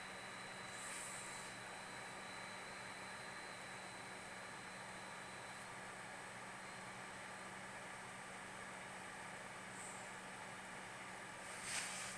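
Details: CPU cooler after upgrading from two-core to six-core CPU; steady low buzz under fan hiss with faint high whine, persists with new fan and with stock cooler and fan: CPU cooler fan buzz.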